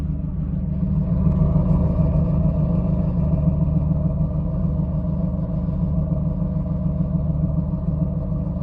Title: LS1 Misfire